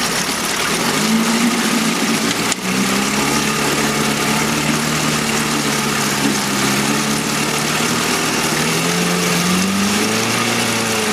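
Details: 1971 Mercury outboard (listed as 7.5, also called 72 horse) revived after coil work; cover on, constant buzzy even idle with no misses or surging, being run out of fuel; runs like a dream.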